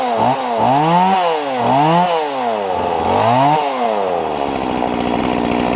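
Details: Stihl MS170 chainsaw after lifting the bent lever about 2 mm: snaps to full revs and drops back cleanly several times, then holds a steady high scream, no bogging.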